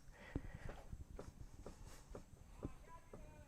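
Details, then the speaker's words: 2008 Nissan Rogue AWD, front wheel rocked by hand: soft dull clunks about twice a second from a loose outer tie rod end, which is causing premature tire wear. "It's premature tire wear because that tie rod end is loose."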